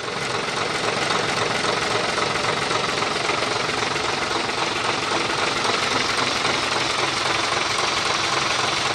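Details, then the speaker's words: Fuso 220 PS truck diesel idling after repair of the injection pump timer: steady, even clatter with the earlier tek-tek knock gone, now smooth normal idle. "Nah, ini sudah nggak ada lagi bunyi tek teknya ya. Oke, ini sudah halus."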